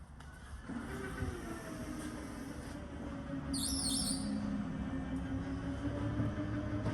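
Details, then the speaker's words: RV slide-out mechanism being run in and out after the wheel and gear assembly and track were reset: a steady motor drone with a brief high squeak chirping over it. The slide has not been lubed in a long time, and lube is applied while it runs. "you can hear that squeaking noise now this thing has not been lubed in Forever"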